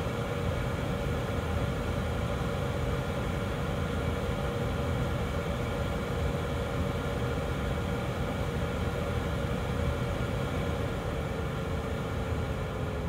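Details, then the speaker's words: 2012 Chevy Equinox HVAC blower, new blower motor just installed, tested at each speed: steady, even fan rush with a tone shifting as speed changes, coming on fast; the old motor clicked and cut out, now runs smoothly. "oh that is much better you hear how fast that came on"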